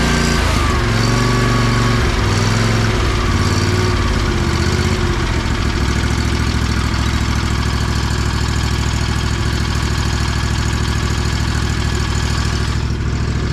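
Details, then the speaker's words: Lawn mower that ran weird, just after fuel filter replacement, started with choke: steady, even drone holding speed without surging or stumbling; cleared right up, running normally. "guess it likes the new filter. That's crazy. I'm glad I got that on camera. That was sick. Cleared right up. He's ready to roar."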